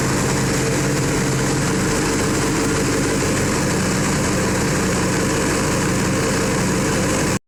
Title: Yamaha R6 misfire